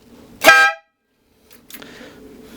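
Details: Suzuki GSXR 600 with air horns wired through a relay from the stock horn, not yet mounted: one short, loud, bright blast of about a third of a second, clean and strong; the horns work properly.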